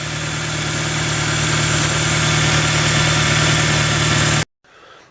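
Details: Toyota Tacoma at idle after replacing all the engine belts on the A/C compressor and alternator: steady, even idle with a smooth low drone and no squeal or chirp, so the belt drive is running fine.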